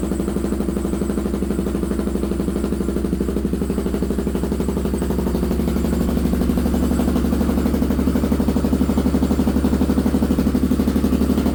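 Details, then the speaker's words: Polaris 570 engine in a buggy build at first startup, radiator not yet hooked up, power steering disconnected, power steering and engine lights on: even, throaty exhaust beat rising slightly as it warms, no clatter or misfire; runs cleanly. "Okay, that sounds pretty good. I like that exhaust, the way that sound."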